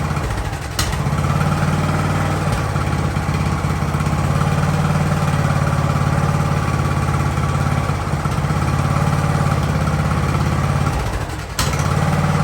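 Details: Ariens hydrostatic-drive riding mower, sat at least two years, idling in neutral at about 30 degrees with the drive belt disconnected: steady, even low thump, no hunting or stalling; normal idle.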